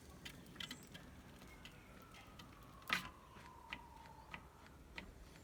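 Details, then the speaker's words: Vintage bicycle Weinmann side-pull brake after servicing, wheel spinning: faint light ticks about every two-thirds of a second as the buckled rim contacts the brake pad. "This wheel's got a bit of a buckle in, so you can hear some contact, but it's about as good as we'll get that."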